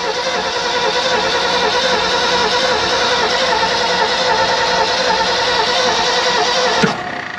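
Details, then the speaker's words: 1970 Ford F600 U-Haul truck, sat about 30 years: even starter churning at about 3.5 turns per second with no firing after starting fluid. Owners suspect no spark and note no fuel smell; unconfirmed. Cranks but will not start. "Definitely no spark. No, but it spins good. It does. Shouldn't we be smelling fuel or something?"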